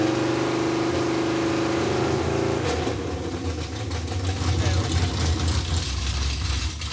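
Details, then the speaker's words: Junkyard Chevy Tri-5 with a small camshaft and dual-plane intake, just fixed and started: smooth, even idle picking up cleanly into a strong rev with no knocks or misses; sounds pretty good. "it is fixed dude it's freaking fixed it sounds pretty good too"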